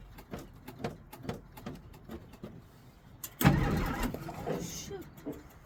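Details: 1963 Jeep Gladiator with a battery run down after the key was left in the ignition, with pedal pumping: slow, uneven cranking for about three seconds, then it catches with a rough surge. Hard starting, cause unconfirmed.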